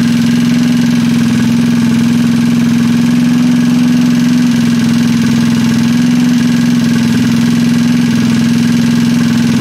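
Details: Trailmaster 150 single-cylinder engine built as a stroker (internal reverse 180 motor, head cleaned and valve job), first start after rebuild: steady, even idle with firm hum, no clatter or misses; runs healthy.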